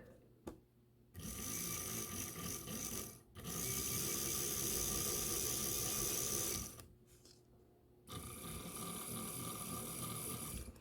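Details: Life-Like Proto 1000/2000 model locomotive after repairing cracked axle gears: three stretches of steady even mechanical whirring with short pauses; gear drive runs smoothly without binding or clicking, fixed.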